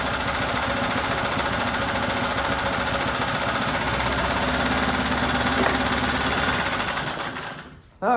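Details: New out-of-box 79cc bike kit engine on a table, fitted with muffler and air cleaner: fast, buzzy rattle held high and steady, never dropping to a slow thump, then cut off; high idle.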